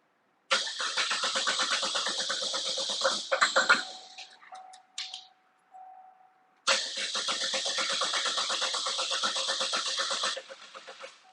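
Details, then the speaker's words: Turbocharged 2014 Chevrolet Cruze with intermittent stalling and no codes, battery getting weak: two long bursts of steady cranking at about four turns a second that never catch; crank no-start traced to a bad connector. "oh I wonder if we got just a bad connection here oh there it was there she was"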